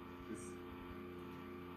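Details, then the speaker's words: Thrift-store early-2000s custom PC booting Windows XP: a constant buzzy drone with a rough grumble, with worn bearings audible. One fan sounds bad; there are fears it may be the CPU fan, but this is unconfirmed. "Oh my god, whatever fan that's in there just sounds like absolute trash."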